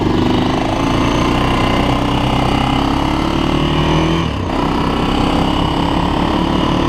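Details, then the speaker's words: 2006 Honda TRX400EX Sportrax hybrid build, first ride after heat cycles: an even, steady single-cylinder run with one brief dip during a gear change and no knocks or rattles. The clutch shifts silky smooth; the engine runs good and healthy. "it runs all right so well all right so it ran so what do you guys think pretty cool stuff it actually went for a cruise and uh yeah runs pretty good"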